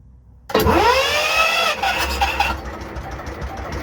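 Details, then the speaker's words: 1953 Kelvin J3 33hp three-cylinder diesel in a 52ft tug-style narrowboat, gravity-fed oiling pre-oiled, fuel on, revs set on the governor, started by button: starter whirs with a rising whine, catches within about a second, steady low rumble; normal start. "So ignition is on, and I'll do it with the button so you can see, and then she'll fire up."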